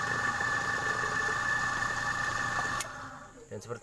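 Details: Repaired compressor after a stone lodged in the valve jammed the piston and stalled it; run while charged with air to check for gas leaks (oil shows a small leak, to be rewelded). Steady even hum with fixed tones, cutting off near three seconds; running smoothly.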